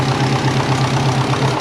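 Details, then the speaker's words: Twin-turbo compound Subaru Forester with TD05-20G, first run after refit: loud rough idle with rapid even puffing in the exhaust note; exhaust leak, owner suspects the three-bolt flange, possibly warped, not confirmed. "now we did have an exhaust leak sorry that's unfortunate I think it's from the three bolt so we'll have to inspect that"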